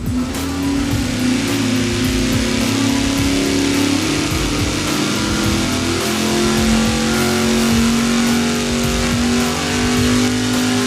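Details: Dyno pull of a V8 on a budget mechanical fuel pump after the 5/16-inch fuel line was replaced with 3/8-inch: a strong, steady roar under full load with no stumble or misfire. The pull is clean and healthy, and flow improved.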